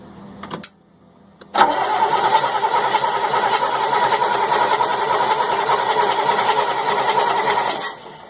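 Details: 1998 GMC C8500 with Caterpillar 3116E diesel: steady starter cranking about 3.5 turns per second for six seconds, never firing; injectors not firing, transfer pump was sucking air; ECM suspected, not confirmed.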